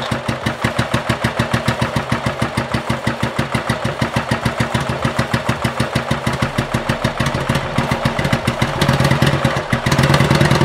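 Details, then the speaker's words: 1985 Yamaha Virago XV700, cold start before fitting a voltage stabilizer: slow, labored cranking about three strokes a second, uneven firing catching late; starter draws heavy current leaving the spark unit too little voltage, hard starting. "the spark plug unit does not have enough electricity so that's why we need additional stabilizer to provide death"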